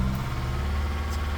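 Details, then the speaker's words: Holden Captiva 2.2 diesel just started after bleeding air from the fuel system (no start after EGR replacement): uneven, lumpy low chug, smoking and running rich as the air clears. "It will smoke. It will run rich. It will just It's running like a bag of"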